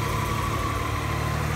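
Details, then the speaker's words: 1988 Acura Legend 2.7L V6 at its first start after a new timing belt, water pump, NGK plugs, coolant hoses and thermostat: smooth, even low idle rumble with a faint whistle and no knocks, running perfectly. "et maintenant il est temps pour le premier démarrage et elle fonctionne parfaitement"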